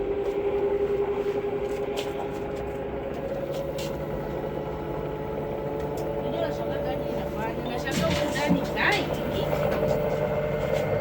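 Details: Samsung 6 kg washing machine after bearing replacement and starter repair, spinning at 1,400 rpm. Smooth fast drum whir with a steady tone and no rumble or grinding.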